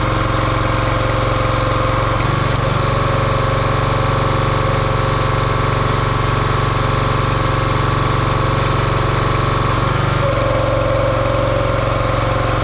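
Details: Champion 27-ton log splitter, 224cc engine, stored outside probably over a year, after a hydraulic fluid leak was fixed by tightening a fitting: smooth steady single-cylinder running, bogging briefly under hydraulic load and recovering cleanly; healthy.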